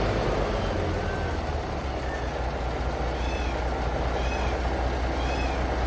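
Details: Paystar truck diesel just restarted after radiator reassembly with new gaskets, idling while building air (about 70 psi): steady even low rumble, no knocks or misses, not leaking; normal idle.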